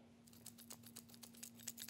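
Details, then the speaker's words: Hercules HC92K1 hammer drill (brushed motor), fresh out of box, no battery fitted, shaken by hand: light dry clattering ticks about four per second after each shake, some loose part rattling inside the housing — internal rattle. "you hear that when I shake it something is rattling around in there"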